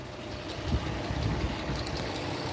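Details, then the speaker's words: 2010 Dodge Challenger bought at police auction, first start after purchase: steady, even low rumble at idle with no knocks, ticks or misses; engine sounds really good, normal idle. "the engine sounds really good"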